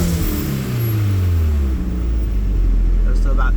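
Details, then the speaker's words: Toyota MR2 turbo petrol engine during a vacuum check, reading about 20–22 inHg. Steady low idle with even pulses and no misses or ticks; a healthy, smooth idle. "to about 22. That's about where you should be sitting."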